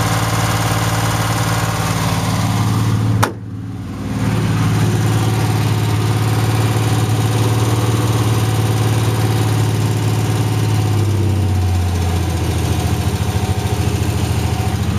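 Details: Chevrolet LS1 V8 idling; deep steady rumble with a light fast tick riding over it. Owner unsure whether it is an exhaust leak or lifter tick.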